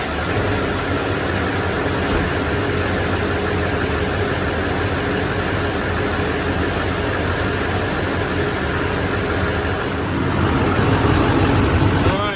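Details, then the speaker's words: 2007 Chevrolet 2500HD 6.6L Duramax diesel idling after serpentine belt replacement: even diesel clatter, no belt squeal, fan not hitting the shroud; normal. "Belt's not squealing, not hitting anything. Hopefully I can get another 100,000 miles out of it."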